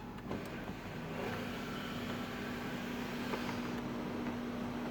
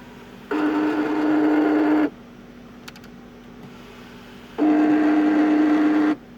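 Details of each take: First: 2005 Audi A8 sunroof wind deflector motor after paper was wedged between the motor and its brace as a temporary fix for a tolerance noise: smooth, even low hum through full travel with no grinding; normal operation, noise gone. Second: 2005 Audi A8 sunroof: two harsh buzzing grinds of about a second and a half each over a steady hum; the wind deflector is out of tolerance and needs adjustment, reached by removing the console.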